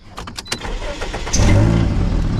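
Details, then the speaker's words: 2010 Toyota Corolla, 200,000 miles, after re-bolting a disintegrated exhaust flange: engine catches into a loud, deep, raspy rumble. Still an exhaust leak, found at rusted holes where a hanger was welded on near the heat shield. "oo that's not good still super loud well at least I know what it is now there was a hole here where somebody welded this hanger on"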